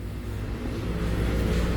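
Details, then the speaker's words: 2017 Honda HR-V 1.8 at 120,000 km service, cold engine after new drive belt and tensioner replaced noisy worn ones: low, smooth, even hum with no squeal, chirp or rattle from the belt area; healthy. "aí motor funcionando Tá frio né nem chegou a esquentar né ó sem barulho nenhum tá pronto para entregar"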